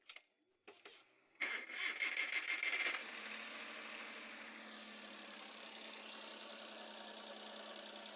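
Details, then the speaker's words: Suzuki K6A engine after the misfiring cylinder's spark plug was replaced: after a start-up burst it settles into a steady, even hum. The engine is no longer shaking, the misfire is fixed and it idles normally. "As you can see now, the engine is no more shaking. The engine is stable now. The misfiring has been solved."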